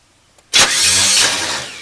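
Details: 1981 El Camino sat 21 years, carb primed with gas: quiet, then sudden burst as it tries to catch and fades without idling; misfiring from chewed spark plug wires.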